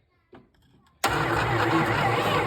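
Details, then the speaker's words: Long-forgotten 1973 Plymouth Satellite, first start attempt with a screwdriver: single click, then the starter turns the engine over at a steady even rhythm without catching; cranks but doesn't fire. "oh man it cranks so since it cranks it's about to run right right cool"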